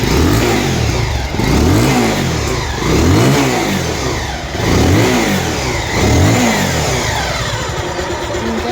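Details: Bajaj Pulsar after repair work was completed, blipped in smooth repeated revs that rise and fall cleanly with no knocks or rattles; the owner is satisfied the earlier sound problem is gone.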